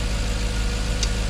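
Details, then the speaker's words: Jaguar XK8 V8 idling after ignition coil replacement: low, even rumble with a steady beat and no stumbles or skips; the misfire is gone and the engine has smoothed out, firing on all cylinders. "but I lay out it was just that misfire and that is now gone as you can tell she's running oh oh I know she's really smoothed out that's sweet"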